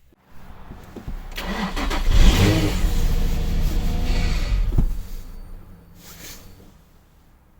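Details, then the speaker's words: Nissan 350Z/Infiniti G35 VQ engine: long crank before catching, then uneven lumpy idle that sags and fades; failed bank 1 camshaft position sensor. "if your car is not starting if if your car takes forever to crank there's no idling make sure to finish watching this video it is an easy simple fix for your VQ your 350Z G35"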